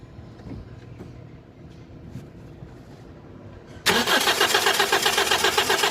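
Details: 2005 Toyota Corolla with an intermittent no-start; it sometimes starts by itself. Wiring and ground checked. Near quiet for several seconds, then the engine catches suddenly and settles into a fast, even idle. Cause still unconfirmed.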